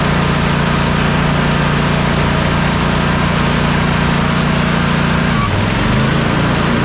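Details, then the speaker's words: Troy-Bilt twin-cylinder zero-turn mower after replacing the bad ignition coil: steady, even engine note at constant speed with no misses; both cylinders now firing, normal running. "you can just hear the difference as the as the mower is running that both cylinders are now working"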